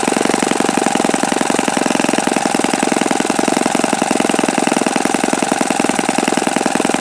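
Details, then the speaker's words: Repaired OS FS-48 Surpass four-stroke (blown-out crankcase repaired) on stand, bearing check: fast, crisp buzzing exhaust at high revs with no grinding or rumble underneath; nothing sounded like bad bearings. Normal running. "But honestly, I didn't hear anything that sounded like bad bearings when I was running it."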